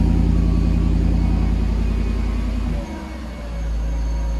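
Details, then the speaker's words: Mercedes W140 after catalytic converter repair, now two resonators with original rear muffler, door open: deep, smooth, steady idle rumble with no rattles, blowing or ticks; exhaust sounds sound. "Okay, so now we have 2 resonators, and of course the rear muffler is still the original one, that's still on."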